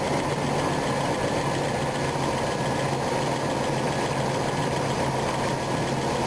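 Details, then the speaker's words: RV V8 after a distributor swap, with ignition timing off and cylinder one not set correctly: uneven, shaky idle with a wavering low rumble, close to stalling, and more shaking when the distributor is rotated. "got it started it sounds like it's about ready to conk out again crazy"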